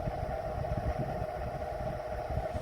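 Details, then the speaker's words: Vornado Silver Swan Alchemy desk fan found on the curb, running on low speed: steady mid-pitched hum with rough rumble, insanely loud like an antique fan with very worn bearings while barely moving air; cause unconfirmed. "It's just very loud. It really sounds like an antique fan with very worn bearings, and you're gonna see how. This is just horrible for a modern fan replicating antique."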